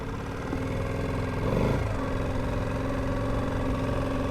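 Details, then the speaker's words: 2.3–2.5hp four-stroke petrol outboard with a proper gear lever, no centrifugal clutch, idling in gear on the water, two aboard: steady, even low putter with no knocks or misses, smooth and quiet; normal idle in gear. "Now I like the fact that it isn't a centrifugal clutch because it means you can go along absolutely at idle speed and it gives you a bit more controllability."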